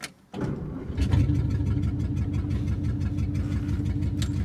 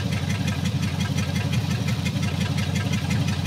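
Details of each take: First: 1954 Meteor flathead Ford V8, first drive in 55 years after fuel pump work: short crank, then it catches at once and settles into an even, steady low rumble with no misses or knocks; normal cold start. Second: Rough idle on a 1954 Meteor flathead V8 that sat 55 years: a low, lumpy idle with an uneven beat near three per second and blue smoke. Stuck valves are loosening, two dead cylinders rose from 0 to about 35 psi, and it is nearly firing on all eight.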